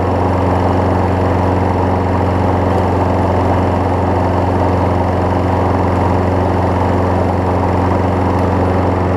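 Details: Craftsman 6 hp self-propelled mower after a new spark plug, belt refitted, testing self-propel: a steady, even single-cylinder drone with no misses or knocks; the mower is running properly.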